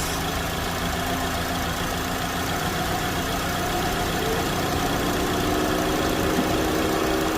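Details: 2009 Chevy Cobalt, 339,428 miles, just started after a thermostat replacement for code P0128: smooth, steady idle with an even low hum and no ticks or knocks. Normal idle.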